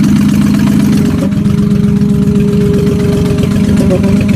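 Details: Ford Mustang at idle: steady tick, fast and even, riding over the exhaust note; owner is unsure whether it is rod knock or an exhaust leak.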